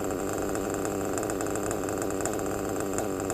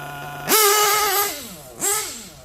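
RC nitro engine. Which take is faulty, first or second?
second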